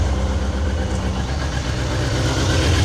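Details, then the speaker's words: Newly bought older inline-four sportsbike idling after a cold start, old oil and fluids not yet changed: smooth even low burble, no knocks or ticks; owner says it sounds better than his Fireblade. Normal idle. "that sounds sweet. That engine sounds better than my Fireblade, to be honest."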